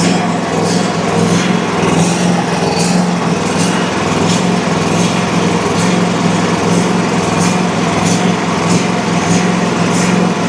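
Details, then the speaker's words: Country Clipper Challenger 52-inch zero-turn mower that came in locked up and not turning over, low on oil, battery boosted, carb/choke cleaner used; the petrol engine holds a steady, even drone with no knocks or misses, surprisingly sounding fine. "It actually very surprisingly did not sound bad once we got this thing running."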